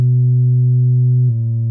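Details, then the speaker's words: Harman Kardon Onyx Studio sealed speaker on a frequency-generator sweep at about 50% volume, stepping down from 250 Hz through 125 Hz to about 105 Hz: a clean, steady low hum with no buzz or rattle, showing normal bass response for comparison. "so you could tell that basically this how it's supposed to work"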